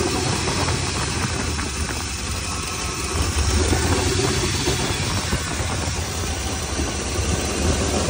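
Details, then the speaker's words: 1999–2006 Silverado V8 truck at idle: a steady idle with a loose, raspy puffing from an exhaust leak underneath, left after exhaust hangers were fitted. "So my boys, sounds good other than that exhaust leak that it's down there."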